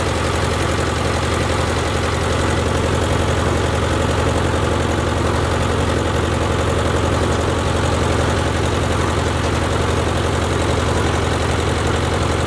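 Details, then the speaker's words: Ford Jubilee tractor idling after a carburetor swap: even, steady idle thumping about 220 times a minute with no stumbling or stalling. Idling cleanly; it had been stalling under load before the swap. "uh sounds pretty good"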